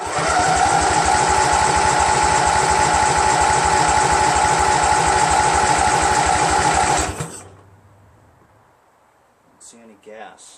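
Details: Craftsman GT6000 tractor, Briggs & Stratton Vanguard 16HP horizontal-shaft engine, after swapping in a second fuel pump; starter spins at a steady even whirr seven seconds with no firing stroke; crank no start, no fuel reaching carburetor.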